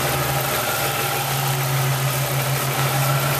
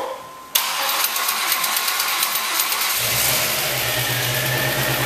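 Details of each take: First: Chevrolet Lumina, first start after an engine swap, at idle: steady, even idle with a smooth low hum and no misses. Normal idle, though a slight noise was traced to a rocker hitting the valve cover. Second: Swapped engine in a Chevrolet Lumina on first start: cranks, catches and idles with light fast lifter ticking until oil circulates and warms, fading away; no piston slap.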